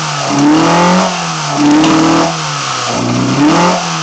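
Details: BMW 318i with M10 four-cylinder engine, first startup after fitting sidedraft individual throttle bodies (Carburetor Man / Dramatic Racing): crisp blips rising and dropping evenly, sharp throttle response, no misses or knocks; normal free revving.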